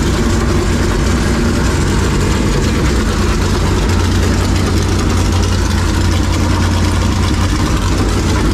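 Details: Super Late Model race V8 after realigning the oil pump so engine and pump run straight and reducing belt tension, following a shredded oil pump belt; loud, even idle with no slap, squeal or knock.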